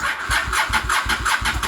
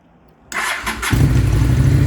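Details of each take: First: Honda Shadow VLX 600 motorcycle, battery 12.55 V at rest, 11.83 V key on, dropping to 8–9 V when cranking: sluggish, labored cranking about four pulses a second, never catches; slow cranking from weak battery. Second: Honda Shadow VLX 600 V-twin motorcycle with a battery-related no-start, started from a jump box with fuel on and choke pulled: half a second of cranking, then it catches at once into a strong, even idle; normal engine start.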